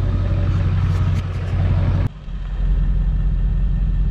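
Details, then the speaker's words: 7.3 Powerstroke diesel running after going back to the cam sensor: steady, deep rumble with a brief dip midway, then an even idle, no knocks or misses; normal running, not yet warmed up. "okay so cam sensor must have been doing weird things i guess we'll have to take it get it warmed up to see what it sounds like see what it does then"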